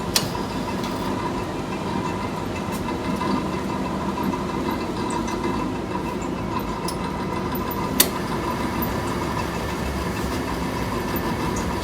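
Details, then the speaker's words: Furnace, first firing after blower repair: steady motor hum with thin tone and weak air rush; squirrel cage left untightened, slipping on motor shaft. "nope something's not right and here's the problem i forgot to tighten that down so the squirrel cage is spinning in the shaft"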